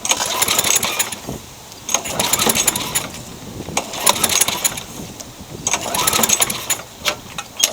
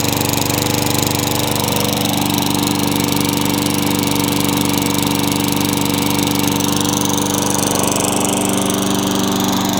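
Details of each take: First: Craftsman mower with engine swapped in for the blown Tecumseh: uneven pull-cord bursts spin the engine but it never fires; no spark, later traced to a pinched coil wire and loose kill switch. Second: Craftsman mower with engine swapped in for the blown Tecumseh, running after the kill switch and coil were fixed to restore spark: small engine runs steady and even for ten seconds with no misses or stumbles; normal.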